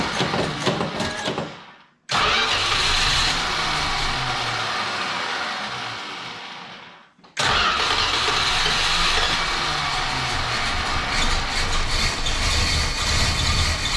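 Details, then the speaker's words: 1968 Chrysler Newport 383 with a new Edelbrock 750 four-barrel carb on a Weiand intake, electric choke disconnected, freezing weather. The engine catches, fades and stalls twice, then restarts and runs unevenly with throttle blips. Rough cold running, needs warm-up. "boy want some choke I don't have that electric Coke hooked up let warm up there you go keep her honor it's going to have to let it warm up"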